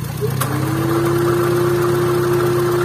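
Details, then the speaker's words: First-generation Honda Brio at idle, AC switched on: a steady mid-pitched rough hum rises over the idle whenever the compressor engages and vanishes when it is off; mechanic suspects a rough AC compressor pulley bearing. "Jadi masalahnya ada di sini nih. Ini biasanya bearingnya yang kasar."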